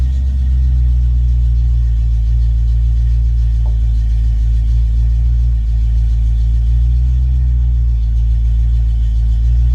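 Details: Ford Mustang Foxbody V8 with rebuilt, tested A9L mass air ECU: deep steady rumble, no misses, surging or breakup, at closed-loop idle around 800-900 rpm; normal idle.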